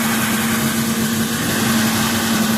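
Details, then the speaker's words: 2003 Mercury Grand Marquis 4.6L V8 at idle: a steady low hooting "Wookie Yodel" as air is sucked past a fluttering idle air control valve. It returns when idle is varied. "It's trying to suck air past there, and it's creating a musical instrument noise. That's why it sounds acoustic, and it is."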